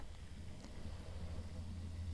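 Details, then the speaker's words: Hornby TT:120 A1 Gresley locomotive after fitting a DCC chip, running on DCC at its slowest crawl speed: only a faint, low, even hum with the earlier buzzing gone; quieter, smooth-running motor. "and you can probably hear that buzzing noise has gone which is great and yeah it's definitely running quieter now in terms of the buzzing"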